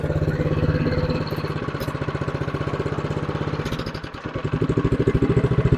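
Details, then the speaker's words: Newer TroyBilt snowblower after repair and reassembly, on choke: single-cylinder engine fires unevenly at low speed, about 3.5 beats a second, never reaching full throttle; owner suspects throttle setup or a carburetor issue. "yeah she runs but she's not running very good so it sounds like the throttle's not set up right okay as you see it's running but it's not running Full Throttle"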